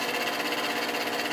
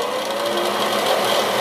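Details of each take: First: Bathroom fan-heater blower motor, run with a wire bridging the blown fuse, heater coils glowing: steady high-pitched whirring hum with a fine buzz; now spinning freely, owner suspects dirt and dust had stopped it. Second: Ceiling bathroom exhaust fan, long noisy, once cleaned: steady buzzy whir with a raspy, slightly fluttering edge; still noisy, maybe slightly better, cause not found.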